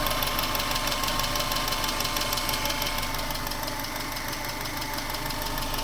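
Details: 1996 Subaru Legacy Outback 2.2L EJ22E, 165k miles, crisp even ticking about three times a second at idle, quickening with revs, cold or hot, equal both sides; appeared around the last oil change, with a different filter in use. Injectors or valves suspected, unconfirmed.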